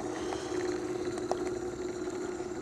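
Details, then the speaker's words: Rebuilt Victor Credenza phonograph electric induction motor, first run on test board with speed regulator; quiet even hum with faint steady tone, no knocks or scraping. Motor running smoothly and healthy. "and we'll see what it what it does it seems to be running nice and quiet"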